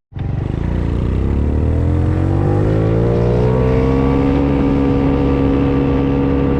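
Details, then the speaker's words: 50cc GY6 scooter running only 3 variator weights: engine revs out quickly and holds a high, strained pitch past 8,000 rpm while speed lags; over-revving from too few variator weights. "i'm not sure if wrapping this thing past eight grand is good i'm sure it can do it just fine but uh in our case we only have one of these scooters so blowing it up really isn't a smart choice"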